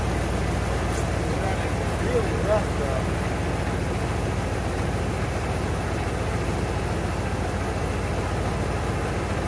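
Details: 1992 Ford Bronco, first start after being bought not running, coolant almost empty, oil a quart overfull: uneven, lumpy idle with wandering beat; rough running, starting to settle.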